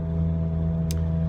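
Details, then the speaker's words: Mountaineer driving, phone mic in the cabin: steady low droning whine and rumble under road noise, worsening over 3–4 months; owner suspects the rear differential. "expose the microphone so you can hear this god-awful whine that I'm been experiencing in the truck now for... It's gotten a lot worse over the last 3 or 4 months."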